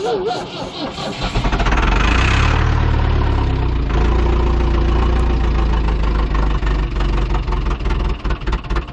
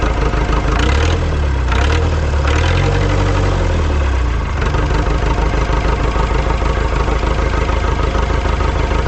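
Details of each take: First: Ford 2701E 240 CI 4-cylinder diesel on a grapple log loader, sitting 15 years with old fuel and air in the system, broken return line found: starter cranks about three and a half turns a second, catches unevenly but won't run; no start, air in fuel. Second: Ford 2701E 4-cylinder 240 ci IEL diesel log loader, running after 15 years of sitting and bleeding air from the fuel lines: a few early revs, then a steady low chug with no misses; normal diesel idle.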